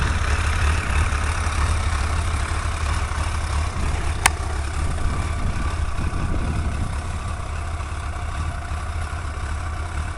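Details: Suzuki GSX-R 1100 idling after a leaking exhaust seal was fixed. The idle is a deep, even rumble and the previous ticking is gone.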